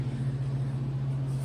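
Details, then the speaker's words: Land Rover Freelander, first start after refitting head gaskets with new cylinder heads: heavy low lumpy droning idle, sounds like a tractor; check engine light on, huge coolant leak spraying and steaming, cause unknown. Rough running. "gave me a check engine light still sounds like a tractor and we have no idea what's going on"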